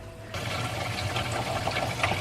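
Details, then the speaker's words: Skoolie bus plumbing, water flowing through blue PEX and a filter into the fresh water tank, pump off, no leaks seen: sudden steady rushing hiss, even and uninterrupted; normal water flow. "you can hear the water flowing which is a good sign just can't see anything I wish our pecs was clear that would be cool"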